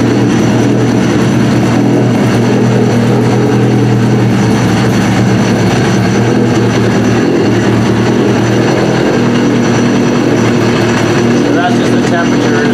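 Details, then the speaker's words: Trashed Yamaha RX-1 Mountain snowmobile with sensors disconnected, throwing temperature, oil and check-engine alerts, ridden about a mile. Steady, even engine note with a firm low drone, motorcycle-like, no knocks or misses. Runs properly. "is so yeah i mean it does seem to run pretty good"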